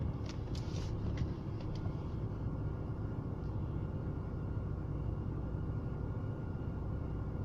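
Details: BMW E36 with M43B18 engine: low, quiet idle rumble with a slightly wavering, uneven beat, a rough idle of unknown cause; it is intermittent, sometimes fine for a month, sometimes changing with every gear shift.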